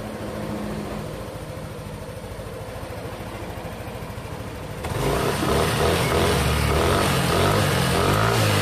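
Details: Yamaha NMAX scooter after repair of a rough-sounding head, diagnosed as a loose rocker arm (pelatuk) rather than the cam chain: a steady, even idle with no valve-gear ticking, then a clean rise in pitch when revved, running smooth.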